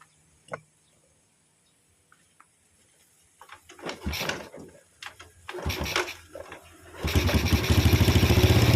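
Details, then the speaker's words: Yamaha Vega R New motorbike after adjusting too-tight valve clearance (caused by carbon buildup, oil loss, overheating) and carburetor idle screw: taps and handling noise, crank feels heavy, then starts cleanly and settles into a steady, stable idle without dying. "and and when you crank it, it feels heavy, Bro, it's going to idle, yes, it's stable, yes, I'll turn it down again, and the engine is about to roar, Bro, OK, yes, it's stable, it doesn't turn off"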